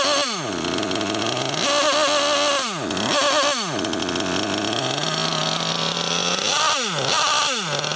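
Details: Losi LST XXL2 1/8-scale monster truck with a .31 cu in gasoline engine, carburettor adjusted to what should be stock specs at high elevation during first-run tuning: sharp revving blips that sag and bog between throttle stabs; engine stumbles on takeoff, cause unconfirmed.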